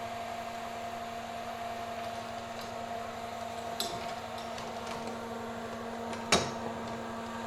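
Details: Ramsond CT520DY welder/plasma cutter combo, powered up with the case open after repairing the broken amperage adjustment switch (readout 142–203 A): steady mains hum, even fan whoosh, switch clicks; working normally.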